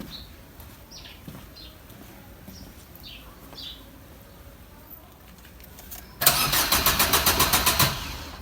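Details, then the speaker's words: Car (possibly a diesel Swift) not driven for many days, after checking coolant and battery: long quiet, then quick run of even cranking beats, about six a second, never catches; cranks, no start, cause unknown, owner suspects long standing. "अ भी crank कर रही है start नहीं हो रही पता नहीं समझ नहीं आ रहा की दिक्कत आई है"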